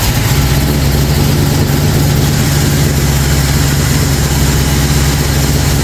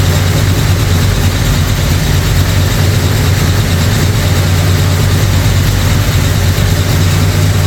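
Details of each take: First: Newly built Ford 445 FE V8 in a 1962 Ford Galaxie, on 30-weight synthetic break-in oil, first fire-up: deep, steady rumble at slightly fast idle, no knocks or ticks; normal idle. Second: Brand-new 445 stroker FE V8 in a 1962 Ford Galaxie on its first break-in run. Deep, even fast idle with a faint clatter: a lifter or two needs adjusting, and timing is off. Oil pressure and water temperature are good.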